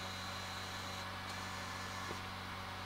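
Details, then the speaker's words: Nintendo Wii that would not turn on, at power-on: steady low hum and whir as the optical drive spins up, a faint tick or two; still no video output, drive fuses checked OK. "can hear the optical drive making noise on this one. Once again, we have no video."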